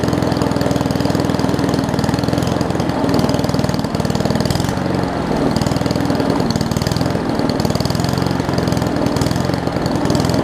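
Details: Old Murray push mower with a Briggs Classic engine, fuel tank swapped from another mower and oil topped off. It chugs at a slow, low-pitched idle without picking up speed; the throttle looks to be missing its governor spring.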